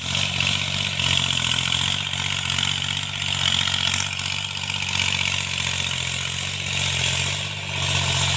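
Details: Tractor diesel cultivating after an engine-knocking repair: pulls steady and even with a smooth, unbroken drone and no knocking heard, a normal, healthy engine under working load.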